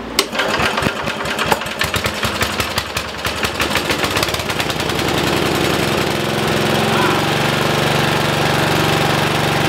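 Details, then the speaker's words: 1973 Simplicity 738 riding mower, unused about two years. After a dead battery was replaced with a new one and the choke put on, it cranks with uneven chuffs for about four seconds, then fires first try and smooths into a steady, even run. Normal start. "huh that's awesome starts right up on the first try Edie it didn't need anything any kind of help or anything with a new battery it was ready to ready to run"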